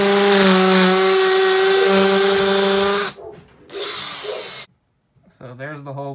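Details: Makita XPH07 brushless cordless hammer drill with a concrete bit, hammer mode, speed 2, boring into a cinder block. Steady high motor whine with fast, even hammering chatter, then winds down. Normal hammer drilling.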